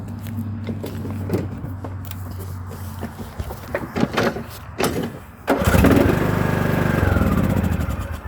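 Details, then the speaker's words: 2020 Husqvarna mower that wouldn't start, after cleaning and refitting the starter solenoid: engine fires promptly and holds a steady, even run; starting normally. "All I did to this one was cleaned it, put it back in, starts right up."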